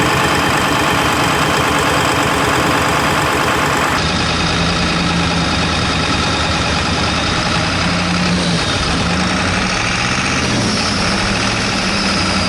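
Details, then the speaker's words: Ford F250 7.3 Powerstroke on first 2.7-mile test drive after injector work: lumpy uneven diesel clatter with an irregular skip, one cylinder missing, not fixed by bleeding air. "you get here it kind of has like a little bit so it sounds like one of them is kind of missing but then I'm trying to kind of bleed the air out of it"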